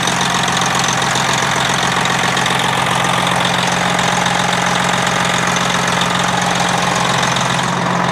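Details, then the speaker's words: Freightliner Classic XL diesel, after a fuel-filter change (secondary instead of primary) ended its sputtering. A smooth start and an even diesel idle near 220 beats a minute, with no misses or sputter; a normal, healthy idle. "I don't know about you, but that sounds pretty damn good if you ask me. That's one nice smooth start, knock on wood."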